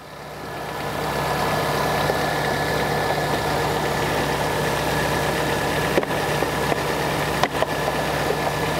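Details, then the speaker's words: Peugeot engine after full engine rebuild, additive in engine and transmission: even, smooth idle with no knocks or misfires; normal idle. "o carro funcionando perfeitamente vou ligar o carro aqui para vocês verem Então tudo funcionando certinho"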